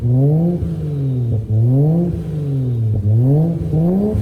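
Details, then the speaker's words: 1JZ-swapped BMW E46 with twin-turbo downpipe into a 3-inch exhaust and HKS muffler: repeated throttle blips, deep tone swinging up and back smoothly. Loud and healthy, though it drones badly around 2,000-2,200 rpm. "so i'll put up the sound for the exhaust system now so you guys can listen to it and tell me what you think about it sounds pretty good but it drones a lot"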